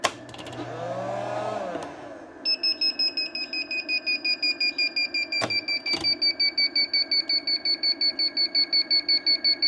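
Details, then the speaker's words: Vevor 12V 2500W inverter on a LiFePO4 battery: after handling noise, a shrill beep repeats evenly almost three times a second and continues after power is switched off; fault alarm from switching on before the capacitors fully discharged. "Okay, I'm off and the fault is consisting. Turn off the power. Now, the fault's still going."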